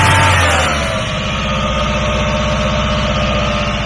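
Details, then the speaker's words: Free truck with no exhaust fitted, after fuel pump check: steady cranking about four pulses per second, then catches into an even idle rumble and keeps running, doesn't smoke; normal crank and start. "you can use now that is enough we don't need an exhaust doesn't even smoke great okay we got an engine"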